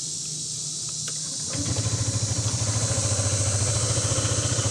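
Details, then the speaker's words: Nearly new 2022 Honda ADV150 150cc scooter with 12 miles. It catches and settles into an even putter of about three to four beats a second, with a slightly different exhaust note from the PCX150: a healthy idle. "same putter putter putter little bit different exhaust note but still 150 cc of Fury"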